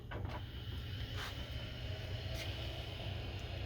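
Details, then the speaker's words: Amiga 2000 HD SCSI drive just powered on during restoration: low steady buzz, no rising whine or vibration of platters spinning up; drive has power but does not spin up. "hear drive bzzing. Don't feel it vibrating as though we're going to spin. We know it's got the power now."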